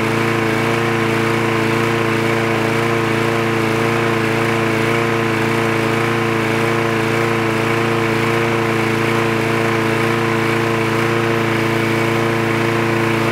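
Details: Trash-picked free Craftsman push lawn mower with automatic choke, running after the spark plug wire was reconnected: a steady, high-pitched buzz at even speed without surging or missing; it runs cleanly.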